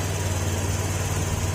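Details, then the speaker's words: Fuel-injected Honda Beat scooter brought in for misfiring and hard starting, running with ECU not yet reset; steady fast hum with no dips, idle set too high and being adjusted down. "adjust natin ng konti ito kasi masyadong mataas ung Menor niya"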